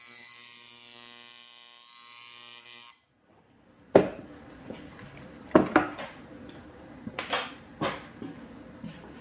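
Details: Newly assembled, unused tattoo machine with rubber bands fitted, running dry at about 7–7.5 volts: steady, even high buzz for about three seconds, then stops, leaving handling clicks; normal, smooth, consistent running.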